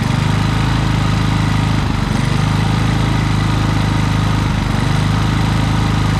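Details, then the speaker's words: Harbor Freight Predator generator with many hours, surging after running a week straight and running out of gas; carburetor tightened, air filter shroud off: loud thrum sagging every couple of seconds, governor hunting; fixed by adjusting idle screw. "so well guys it wasn't really the carburetor i mean there was some dirt in it but it was actually just this little idle screw right here with it it uh allows the electronic idle to do its thing but this here keeps it from going too far"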